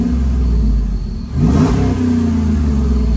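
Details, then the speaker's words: Third-gen Ram 5.7 Hemi just fitted with shorty headers to fix an exhaust manifold leak: a deep, even idle and a clean throttle blip. More valvetrain noise is audible, normal for a Hemi, and there is no leak ticking; it sounds healthy. "You definitely hear more valve train noise with the headers, that's for sure. I mean, that's pretty common in a Hemi, but it sounds really, really good."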